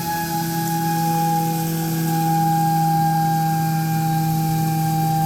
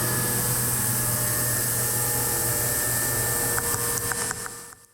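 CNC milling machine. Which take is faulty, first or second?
first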